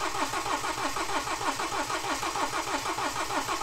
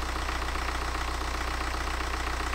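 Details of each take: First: BMW N47 diesel refitted after broken timing chain repair, drained fuel system and empty pump: steady even cranking about 160 pulses a minute without firing while fuel refills, starter rested between attempts; extended crank, no start. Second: BMW N47 diesel refitted after a broken timing chain repair, first start, run briefly without coolant: smooth, even idle with a steady low beat and no shake, knock or vibration; normal idle.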